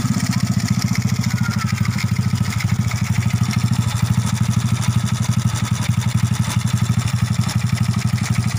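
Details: Honda Astrea Grand (C-series) engine just after fitting a manual cam chain tensioner (still adjustable), replacing the rubber rollers, first test start; small single settles into a steady even idle putter with no rattle or ticking: normal idle.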